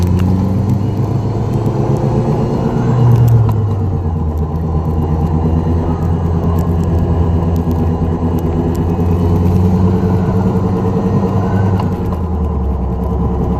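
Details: 2004 Dodge Neon SRT-4 driving: low droning hum under road rumble that swells and eases with road speed; bad wheel bearing.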